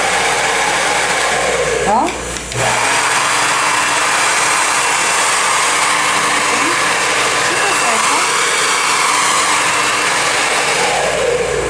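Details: Taiff hair dryer after replacing the motor bearing (mancal) that caused a strange loud noise: steady even rush of air and smooth motor hum with no rattle, grind or squeal. Normal running.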